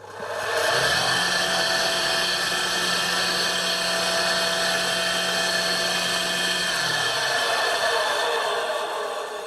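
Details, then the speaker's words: Long-unused motor for a workshop burner fan: spins up to a steady high whirr with a rough, gritty edge, then winds down; worn, dry bearings needing grease. "now that sounds to me like it needs some grease in its bearings"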